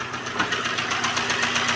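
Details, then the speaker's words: Renault Clio engine at idle: quick, even light metallic ticking, roughly seven to eight a second; valves suspected, pointing to valve train tapping from loose valve clearance at the rockers, before disassembly. "Tá bastante barulho aí parece válvulas eu acredito eu então aqui vamos voltar desmontando aqui para tá vendo certinho onde que é esse barulho aí tá bom"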